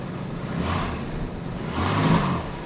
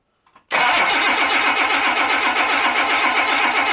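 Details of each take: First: Late US-market Jaguar XJ6 Series 3 (possibly 1986–87) 4.2 fuel-injected, after fuel hose replacement and fixing loose injector connector that caused misfire: cold engine, two gentle rev rises, even and smooth, all cylinders firing cleanly. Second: Jaguar XJ6 Series 3, warm after a short drive, fuel pump relay disconnected before replacing fuel hoses: even starter cranking with no catch, emptying the fuel rail pressure.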